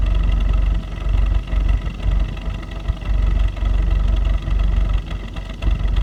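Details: 2015 VW Jetta 1.8 TSI petrol, 14k miles, at idle: uneven beat dipping and stumbling every second or so; rough idle with intermittent misfire, cause unconfirmed, dealer found nothing.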